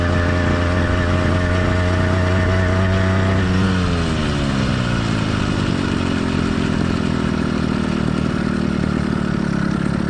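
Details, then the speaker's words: Warmed-up but not heat-soaked two-stroke motorized bike kit engine (single-speed transmission, single-circuit carburetor): even, crisp buzz dropping in pitch as revs fall, no knocks or misses; normal running. "let's listen to how the motor sounds after it's been warmed up but note this motor is not heat soaked"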